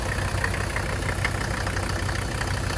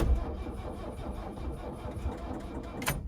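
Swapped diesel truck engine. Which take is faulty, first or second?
second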